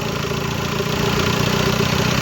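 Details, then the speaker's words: Audi Q3 2.0 TDI diesel after head removal, piston and valve replacement for knocking, misfire and white smoke: even, steady idle clatter with smooth regular beat, earlier tak-tak knock gone; normal idle. "इसके लिए और एकम smooth है पहले कै टकटक करके आवाज मार रहा था"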